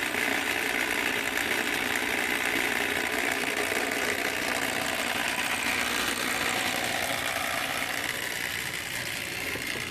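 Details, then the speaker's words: Dapol B800 track cleaning wagon, grinding disc with cleaning fluid, pulled along rails: thin steady high-pitched buzz with faint fast rattle, rolling evenly; normal grinding disc running. "so I'm going to turn the car back on with its grinding disk or do you feel that you can hear that one"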